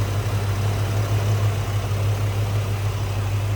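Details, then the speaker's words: 1991 Ford Mustang LX convertible, stock 5.0L High Output 302 V8; deep, steady even V8 burble at idle with no knocks or misses, smooth and healthy: normal idle. "It's a nice, clean, tidy stock engine bay. Smooth running too. Sounds good."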